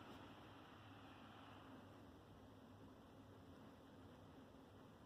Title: Hp pavilion x360 convertible 2 in 1 laptop - loud fan noise pt2